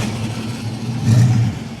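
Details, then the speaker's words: A classic Mopar Barracuda convertible with a new oil filter catches at once and settles into an even, strong run with no hesitation; a clean, healthy start. "You hear that thing fire up, Mike? Just right up. I I mean, just no problem at all. It No hesitation."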